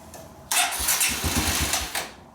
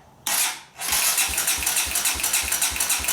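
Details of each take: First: 2017 Kawasaki KLX140 dirt bike after clutch-side cover reinstall, choke on and fuel petcock open; brief cranking that never catches, reluctant to start, so jump pack hooked up. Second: 2017 Kawasaki KLX140 dirt bike, after reinstalling leaking clutch-side engine cover, cranked on battery with spark plug grounded to pump oil through; steady starter whir with even compression thumps, no firing, normal cranking.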